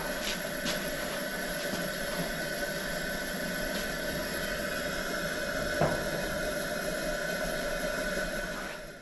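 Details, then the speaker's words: Old Coleman camp stove, unused a dozen to possibly 40 years, burner heating water; steady even hissing roar with no sputter or popping; drawing fuel cleanly and burning well. "get in there and get down in there where you see the fire it's burning nice hard to believe after setting for it could have been 40 years who knows"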